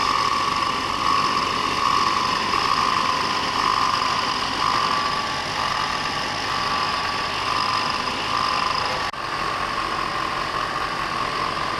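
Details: Audi 3.2L FSI first start after upper timing chain tensioner replacement: steady even idle hum, no top-end rattle or clatter; timing chain running quiet and healthy.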